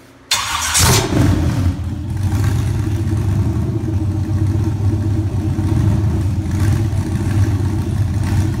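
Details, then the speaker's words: LQ9 Vortec Max V8 with a Stage 1 cam and 317 heads, started and idling. Deep, slightly choppy idle with a mild lope, noticeable but not severe; a healthy street cam. "it has a little lumpy cam in it nothing severe great Street can but you can definitely hear it"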